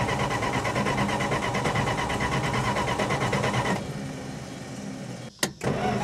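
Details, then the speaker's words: 1966 Plymouth Fury, coil wired directly to the battery: fast, even starter cranking for about four seconds with no firing on a weakening battery. Crank no start, no spark. "no i'm done man something's very wrong here i'm running out of options the battery's going dead it's getting late we still have no spark"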